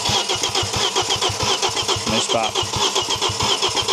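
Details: Audi RS2 5-cylinder turbo barn find, abandoned in an orchard for years: even starter chug at about four beats a second with no pops or catch. The fuel pump works and holds pressure; cranks but won't fire, with wiring suspected but unconfirmed.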